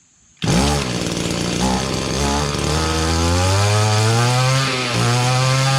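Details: Echo GT-200B (Kioritz) two-stroke trimmer after recoil starter pull rope repair, restart with choke: fires on the pull and revs cleanly to steady high buzzing drone, no misses or surging; healthy.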